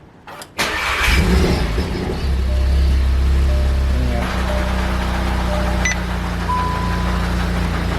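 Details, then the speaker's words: VW Golf R with a South Bend Stage 3 clutch fitted about a year and 30,000 miles ago cranks and idles with a loose uneven rattle underneath; owner is 99% sure the clutch disc blew up. "I'm 99% sure that his clutch disc blew up."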